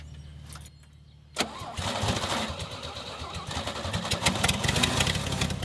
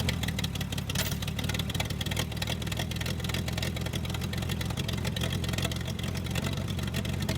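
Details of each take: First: Old Toro Parkmaster tractor sat for years, run with fuel tank off and a hose into a gas can; catches and runs rough only on poured-in fuel, then stops; owner suspects fuel pump dried out and not feeding. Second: Toro Parkmaster tractor, sitting for years, running after mud dauber dirt was cleared out. A steady, even low chug at idle with no misses or knocks: normal running.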